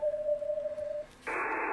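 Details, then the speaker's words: Yaesu FTDX10 receiver, sideband: clean tone drops out, then steady wide hiss floods in; radio frequency interference from a plugged-in laptop power supply, not a power line buzz. "in this case that definitely does not sound like a power line that is clearly not a power line it's not a buzzing sound"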